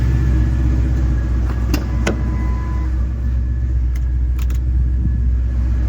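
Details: Ford 5.4L two-valve V8 after its misfire fix: a dead coil was replaced and debris was cleaned from the cylinder and plug. It now has a steady, even low rumble at a smooth normal idle, back on all eight.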